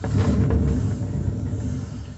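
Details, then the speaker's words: Consul Facilite CWG11 washing machine that is noisy in the spin cycle; turning the basket by hand gives a low, gritty rumble that fades as it slows; worn drum bearing. "e esse é o barulho do rolamento que estragou certo vou rodar de novo para você descontar"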